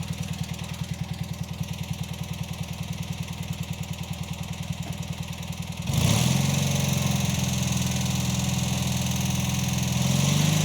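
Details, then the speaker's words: Revived Cub Cadet 782 Kohler single-cylinder mowing with 50-inch deck after carb cleaned and pulse pump fitted; even beat stepping up to a fuller steady roar under mowing load without faltering, plenty of power: normal. "that was great has plenty of power"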